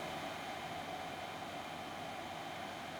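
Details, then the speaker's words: Windows 98 PC build, fan rewired through a splitter: constant airy rush with a steady mid-pitched whine; slightly quieter than before, but this fan is clearly the loud culprit. "do you think definitely it seems less quiet but I can tell that this is now the culprit this is really really loud"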